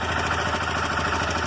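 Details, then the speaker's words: Motorcycle with a cold engine idles with a fast, dry metallic rattle from the cam chain, sounding like loose valves. "Então aqui essa motocicleta, ela está fazendo barulho de corrente de comando. A motocicleta está funcionando perfeitamente, mas depois começa a fazer o barulho aqui de corrente de comando."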